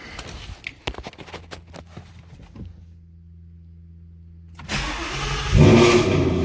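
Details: Ford Mustang GT RTR Spec5 widebody, E85-friendly headers with stock catback, cold start: a few clicks, then fires and settles into a loud, deep V8 rumble at raised cold idle, steady and even; normal cold start.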